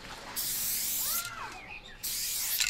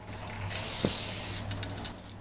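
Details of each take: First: Spray paint cap test on a can: two strong, even bursts of hiss with a full, steady spray and no sputter; the cap works well. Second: Spray paint can fitted with a blue skinny cap, standard-pressure can: steady hiss breaks into uneven spitting bursts, the spray sputters; cause unknown.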